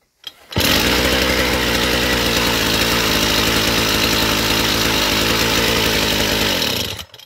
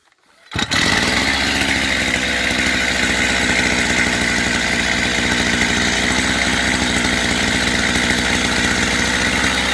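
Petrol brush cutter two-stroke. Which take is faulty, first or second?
first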